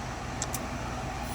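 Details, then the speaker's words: RV air conditioner (6538) with a suspected bad control board, switched from AC to heat pump mode with charge correct: steady compressor hum then two quick sharp hisses as the reversing valves shift, amp draw changing; normal changeover. "There go the reversing valves."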